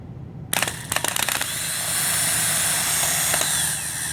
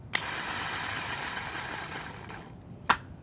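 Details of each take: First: Healthy starter bench test: starter pulled from a 2003 Honda Accord, after a few clicks spins up to a steady, even high whir with no grinding or catching, the continuous spin a good starter should give. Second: 2006 Honda Accord starter: a click, then a high whirring spin for about two seconds that fades before a second click; the starter runs briefly then dies mid-crank. Starter suspected, not confirmed.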